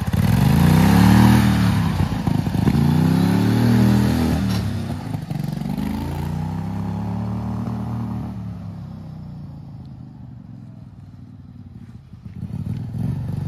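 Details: Turbocharged Wheel Horse mower engine on full-throttle run, boost near zero psi: revs climb and sag in repeated surges, then note falls away, cutting out at high rpm; owner suspects fuel starvation, plans fueling and timing rework.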